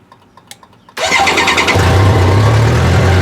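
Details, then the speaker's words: Motorcycle jump-started with Foxpeed G29 jump pack (battery 11.2 V, pack supplying 15.2 V): brief quiet, then brisk strong crank that catches almost instantly and settles into an even idle; clean, fast start. "Yeah, see, it just really cranks nice. I wish I had a battery that strong in my bike that would just fire it over that quick."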